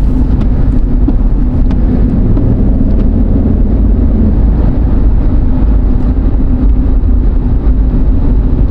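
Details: Jeep Liberty 3.7, final test drive after securing a loose rear wheel that caused loud knocking when coasting: steady road and tyre rumble at speed with no knocking, clunking or wobble; it drives normally.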